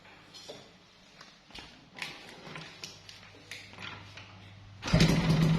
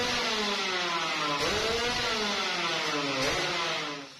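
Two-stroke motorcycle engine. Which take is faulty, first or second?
first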